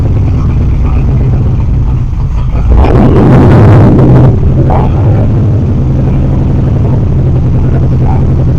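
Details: 3rd Gen Camaro Z28 carbureted V8, started with starter fluid, before repair; lumpy, uneven idle with a loping beat and a brief rev; dead-cylinder misfire where pulling the number two plug wire gave no change despite spark.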